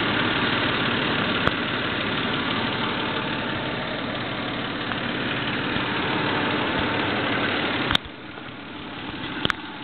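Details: Toyota 3VZE V6 start-up after a rebuild, with about 15 miles on the motor: even, steady idle with a smooth hum and no knocks or ticks standing out; healthy normal idle.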